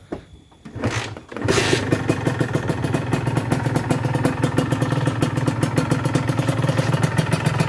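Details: Honda NSR150R two-stroke on Enviro oil, still smoking: brief crank, then a crisp, rapid, even popping idle with no misses, a normal start.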